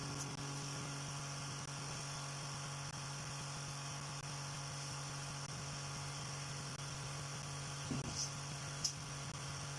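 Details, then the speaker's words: Tiny motor driving a rotor, balanced by adding and removing blue tack and held to the table with blue tack: a quiet, even hum with a steady low tone and no knock or wobble; it runs smoothly and sounds sweet. "That's just a little update on the rotor, and as you can hear, it sounds really sweet. It's running pretty quiet."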